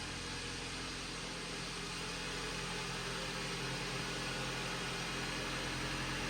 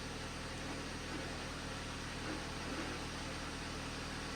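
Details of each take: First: 2011 Jeep Patriot 2.4 L with T355 manual transmission, checked for a strange noise suspected from input and countershaft bearings, idling while warming up for about five minutes: smooth, even engine hum with no whine or growl, sounding normal. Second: 2011 Jeep Patriot, T355 five-speed manual, idling with the clutch out and revved: a rough, gravelly grinding rattle comes and goes and vanishes with the clutch pedal down; owner suspects input and countershaft bearings, unconfirmed.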